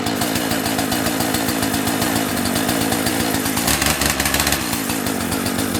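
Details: Owner's second two-stroke chainsaw, unused for about two months and started on choke, said to sound like a little dirt bike: a crisp buzz revving up cleanly and dropping back without stumble or misfire; healthy.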